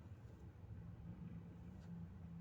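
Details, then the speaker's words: Lada Vesta after fixing the filter rattle: clutch taking up load in reverse, steady low engine drone with no tapping or rattle; everything sounds tight and normal. "смотрим ну все нету этого звука значились этим от этого фильтра зараза и было"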